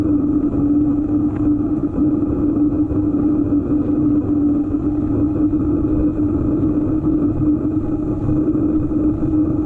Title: EVO GP PRO humming noise